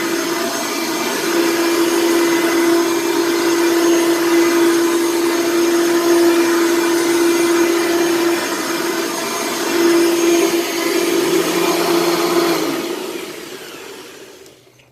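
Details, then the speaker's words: Heavy all-metal Hoover Elite upright vacuum with bag half full: steady motor roar with constant mid-pitched brush-head tone; the brushroll sounds like it needs work, probably a new belt. "the brushroll sounds like it needs some work and uh probably needs a new belt obviously it needs a new bag since the bag's like half full"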